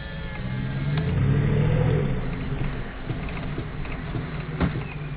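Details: 1998 Jeep Grand Cherokee ZJ V8: a low droning moan swells over the engine rumble when the brake is lightly pressed, then fades back; strange noise on light brake application.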